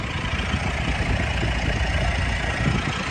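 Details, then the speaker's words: 2018 Mitsubishi Pajero Sport 2.4GT diesel with about 160,000 on the odometer, idling with very little vibration: steady, even, smooth low rumble with no misses or knocks; healthy. "อันนี้ผมสตาร์ทเครื่องไว้นะฮะจะสังเกตว่าเครื่องไม่ค่อยสั่นนะครับจะค่อนข้างนิ่งมากๆ"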